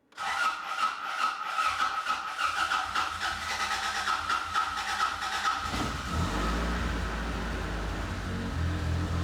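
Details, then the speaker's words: 1986 Toyota Corolla GTS revived with eBay parts: steady high whistle during cranking, then the engine catches into a low, lumpy, uneven rumble, running rough on first start. "All right, so the car's running real rough, but regardless, we're gonna try to take it out for a spin."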